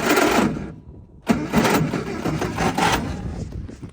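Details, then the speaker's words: 1960 Triumph Herald dormant 42 years, on non-ethanol fuel with 110 leaded mix: slow, uneven cranking with dry metal-on-metal scraping creak; engine turns but starter sounds creaky, possibly water inside; unclear if that's why it was parked. "Starter sounds a little creaky. Yeah. Water something in there. Or if that's why they parked it. Yeah, it sounds like metal on metal. But it's turning."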